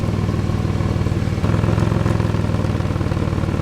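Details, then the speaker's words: At idle: sharp puffing tick on each exhaust pulse, louder near the pipe; exhaust leak ahead of the O2 sensor setting the engine light, later found as a dime-sized pinhole and plugged. "That extera there it's got an exhaust leak to the point that the engine lights on cuz it's leaking in front of the O2 sensor I think."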